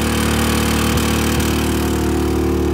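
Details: New Generac iQ3500 generator, dead on arrival within two hours of ownership: steady drone with brief stumbles at about one, one and a half and three seconds. The engine is misfiring, cause unknown.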